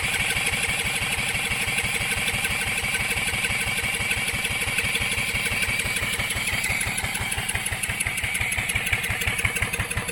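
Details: Coleman Contractor 4200 generator, sat for years, spun by a drill and fed gas from a jar: fast, even cranking chatter at about three strokes a second, engine never fires; cranks but no start.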